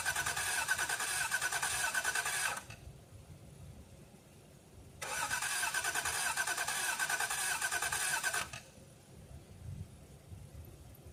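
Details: 1989 Toyota Cressida that sat for years, on a freshly charged battery: two long bursts of fast even cranking at about three turns a second that never fire; gauge near empty, owner suspects no fuel. Crank, no start.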